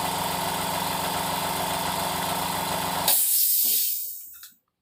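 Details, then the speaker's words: Secondhand oil-free (oilless) air compressor, restarted repeatedly until hot: steady fast rattling run, then it abruptly cuts out and hisses down as thermal protection trips; cause unknown, possibly motor winding or thermal protector. "Nah teman-teman bisa lihat ya, tadi saya cabut karena langsung protek, jadi dinamonya langsung mati ya."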